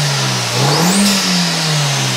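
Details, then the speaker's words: MK1 Audi TT 225 (BAM) with newly fitted Cloude 9 Customs induction kit and heatshield, stock exhaust, very cold first start: first rev gives loud intake roar and turbo whoosh rising then settling, louder than expected; normal revving. "yeah wow what a difference what a difference that's louder than I thought it was going to be that's a lot more that's a lot more prominent that I thought it was going to be"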